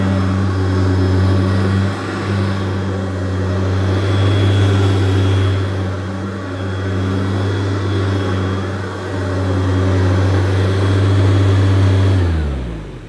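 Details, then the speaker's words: Second-generation Hoover U2332 Turbopower upright vacuum (two-speed motor), almost new with slight use, running on very short pile carpet: smooth even motor drone with audible airflow rush, lifting the pile, clean wind-down at switch-off; normal running. "it sounds like a traditional turbo power you can hear the airflow through the machine and even on this very short pile carpet it was bringing the pile up"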